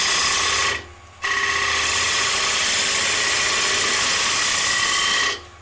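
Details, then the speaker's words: Bowl gouge on an ogee bowl with the tool's wing engaged, removing a lot of wood very quickly: loud, harsh hiss of tool on wood broken by short pauses; heavy aggressive cut. "what happened there is I've got the wingy the tool and I was removing a lot of wood very quickly"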